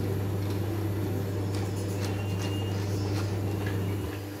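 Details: BV20 lathe after replacing a failed half-HP motor with a single-capacitor motor, three-wire forward/reverse wiring, chuck tightened; steady even low hum, chuck spinning smoothly, no knocking, grinding or labouring, normal lathe motor running.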